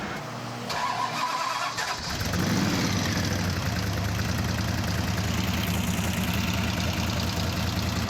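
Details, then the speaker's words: V8 road-trip car at a lumpy idle with a light, fast rattle on top: rattling and tapping started suddenly and got worse on the highway; suspected valve train on one side. "all of a sudden it just started rattling tapping rattling tapping"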